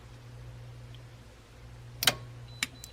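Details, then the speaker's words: Three-year-old 200Ah H-Ecotrek 12V LiFePO4 battery at 12.71 V after a full discharge cutoff (158.41 Ah), restarted without a charger: a sharp click over a faint hum, then a lighter click; the BMS discharge contactor re-engages. "yay it did i hope you heard the click sound so the battery is uh restarting"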